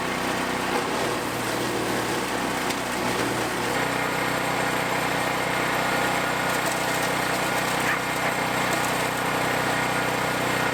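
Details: POWERHORSE 420cc wood chipper, new, on first use chipping branches up to about 2¾ inch. An even engine drone shifts slightly as wood bites, then settles, with no knocks, rattles or stalling; healthy under load.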